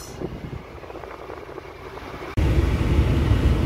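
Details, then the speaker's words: 2003 Holden Rodeo after replacing the A/C blower motor and its resistor; fan kicks on and settles into a steady low whoosh with no squeal or rattle: normal blower fan running. "oh just turn it on it is good it is good I fixed it yes"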